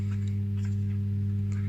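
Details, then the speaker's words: Defender SPK LX 2.1 speakers opened for repair: both satellite channels play, but the subwoofer channel gives only a steady low mains hum with buzzing undertone and no program sound. "итак я уже разобрал проблема какая два канала работают а если включаем саббуфер он просто будет"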